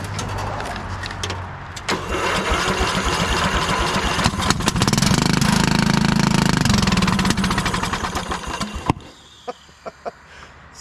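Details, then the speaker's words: 1996 Craftsman LT1000 lawn tractor, stored in shed with mouse nest, low oil, on jump pack: cranks, catches, then loud raw crackling exhaust bark; owner suspected muffler or head gasket; cracked muffler. "sounds like we need a muffler or a head gasket"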